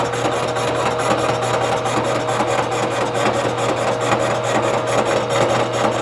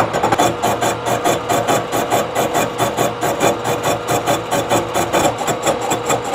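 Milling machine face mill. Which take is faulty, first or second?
second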